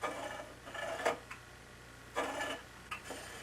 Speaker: it's rubbing on the top here it's rubbing on the side so I'll tighten up again the spokes on that side